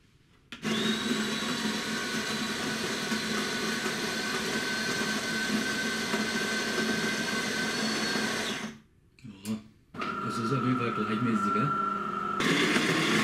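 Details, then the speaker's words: DeLonghi ECAM 22.110B Magnifica S with a newly replaced burr grinder: an even, steady grinding whir for about eight seconds with no scraping or knocking, running quietly and evenly after the repair. "man hört dann gleich wenn er mal keine aufmerksamkeit von aufmerksam zuhört hat man gleich wie leise durch das neue mahlwerk ist und gleichmäßig das arbeitet"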